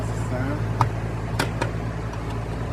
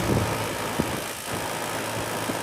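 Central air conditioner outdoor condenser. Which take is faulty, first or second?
second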